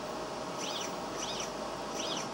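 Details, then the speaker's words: DIY 3D printer X-axis with a 400 steps-per-millimeter motor, newly wired electronics: quick back-and-forth sweeps of soft stepper whir with no knocking or grinding, fast, snappy and quieter than the owner's other printer; normal, smooth axis motion. "goes pretty fast pretty snappy and it's a lot quieter than why other printer too"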